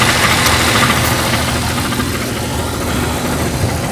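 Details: Jeep Cherokee engine at idle: steady idle with a light metallic tapping about three times a second; loose flexplate (ring gear) bolts, to be fixed by tightening the bolts with lock washers or threadlocker.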